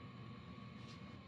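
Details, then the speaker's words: HCalory SS2 diesel heater after pump damper and sound-deadening mods, warming toward the heat stage: soft, steady fan rush with a faint constant hum and no sharp pump ticking; much quieter than before. "what I can tell you already it's much quieter than it used to"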